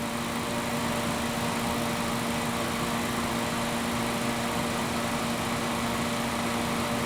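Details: 2015 VW Passat after repair of AC overpressure that vented freon through the pressure relief valve. Idling in a roughly 70°F shop with a steady, even hum of engine and radiator fans, no rattles or surges. Pressures regulating, fans working: normal AC operation.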